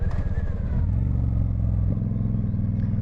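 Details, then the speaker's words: 1995 Honda VT1100 Shadow ACE V-twin, recently run after sitting for a few years, on the road under throttle. Loud, lumpy beat with a crisp exhaust note rising and settling cleanly; engine sounds healthy despite the very loud exhaust. "I think the engine is um pretty good actually."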